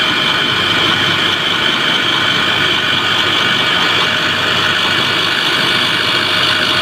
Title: KES-55 screw air end abnormal sound observation